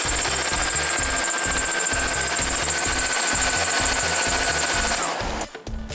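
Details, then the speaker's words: BMW E46 325i 2.5 six-cylinder at cold idle: a high, steady chirping squeal over quick ticking at about 3.5 per second from a failing belt idler or tensioner pulley; the owner says it gets worse warm, and the pulleys and tensioner are being replaced. "Okay, you can hear the squeaking from the pulley right there. And when it warms up, it's even gonna be worse than that right now."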